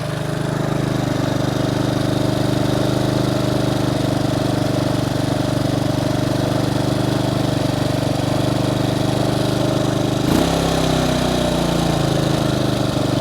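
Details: Bombardier Traxter 500 ATV after a carburetor rebuild, warmed up with the choke fully in: a steady single-cylinder idle hum with even firing and a brief speed change near the end. Running as it should; idle possibly slightly high.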